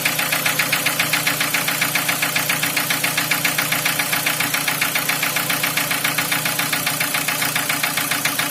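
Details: Cold start, 2003 Nissan Wingroad restyled, QG18DE petrol engine, automatic, AWD: sharp, very even ticking knock about 2.5 per second over idle, heard around cylinder four; oil pressure 3.5–4 bar (0.35 MPa), easing as it warms; cause still unknown.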